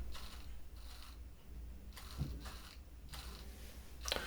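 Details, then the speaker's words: Side-to-side head servo on a micro:bit animatronic baby robot: short whirring bursts with a faint squeak each time the head swings; servo squeaks while moving, owner thinks it is just the servo model chosen. "the the side-to-side servo is a little bit squeaky. I think you could hear it on the microphone. What is that? Why are you so squeaky? I think that's just the servo that I chose to put in there."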